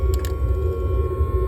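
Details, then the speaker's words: BMP armoured vehicle heater burner: a deep, steady low roar with the flame at full while the damper cable is slack, before the cable is tightened to close it. The factory damper valves are often fitted reversed. "Ну я не знаю чи пише Мікрофон достатньо добре але от зараз чутно що вогонь полум'я на всю працює"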